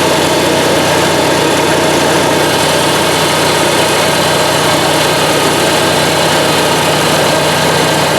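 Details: Onan Marquis 5500 RV generator in a 1998 Bounder, 20+ years old, after carburetor rebuild, automatic choke opening, running on gas from a can: constant, even drone with no surging, misfire or knocking; still not pulling fuel from the tank.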